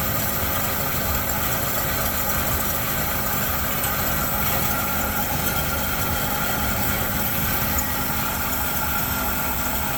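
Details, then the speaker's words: 1972 Chevy C10 with a 350 V8, sat in a barn 30 years, running on primer fuel at 29°F with no fuel in the tank: smooth, even deep idle with no knocks, misses or ticks; sounds really good. "Very nice. Actually sounds really good."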